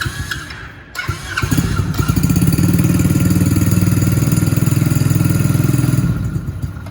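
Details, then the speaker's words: Dirt Kicker XV110 110cc electric-start automatic dirt bike at first start: catches after a few cranks, fast slightly uneven putter held with a little throttle; dies when throttle released, won't hold idle yet. "and so right now if i let go it dies we just need to give it a little bit of gas just enough once it starts to keep it running"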